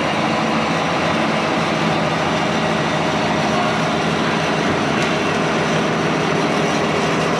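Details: IH 175C track loader diesel fired up after a months-long rebuild with new cylinder rods, panels and service: big diesel rumbling at a steady, even pace with no knocks or misses over loud shop noise; healthy running.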